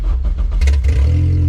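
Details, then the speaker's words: K-swapped Honda Civic project, first start after three years, in neutral, fluids filled and bled: very loud raw deep blare rising with revs then throbbing idle; no exhaust fitted, straight open pipe. "This thing has no exhaust, so it's super loud, but I mean, she's ready to go."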